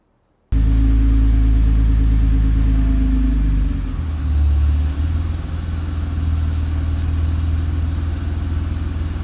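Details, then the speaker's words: Nissan R35 GT-R with GR6 transmission, creeping off the brake with clutch touch points set too high: engine lugs into a heavy, low rumbling rattle at low revs, not a bell housing fault; too-low idle makes the same noise. "Do you hear that noise? That rattle? Anytime anybody hears that rattle, they think it's a bell housing. It is not. It is the engine lugging due to excessive uh touch point uh preferences."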